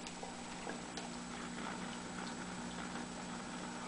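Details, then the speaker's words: GE 17T11 tube black-and-white TV powered up at about 71 volts as tubes warm: faint steady low 60 Hz mains hum under light crackle from the speaker; no picture, high-voltage or flyback fault suspected. "yeah we're starting to get a little 60 Hertz home I don't know if we can hear that"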